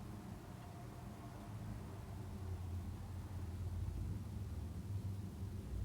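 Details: Commercial gas unit heater burner running normally while its gas pressure is adjusted down to 3.5 inches of water column: a soft, steady low roar of the flame that swells slightly as the pressure is set.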